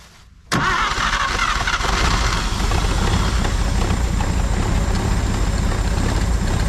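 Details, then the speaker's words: 1950 Chevrolet Styleline parked 7 to 9 years, first start: cranks briefly, fires, then settles to a smooth, even idle with a steady low rumble and no tapping or misfire; it sounds healthy. "let's go wow that sounds perfect awesome"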